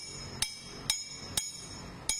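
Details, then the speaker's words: Toyota Estima/Vellfire/Alphard/Harrier balance shaft, due for replacement at 100,000 km: four sharp metal taps dying quickly without ring, non-metallic sound, part cracked; debris can block oil, replaced as left-right set. "Dengar bunyi besi. Bunyi bukan besi. Pecah. Nampak habuk."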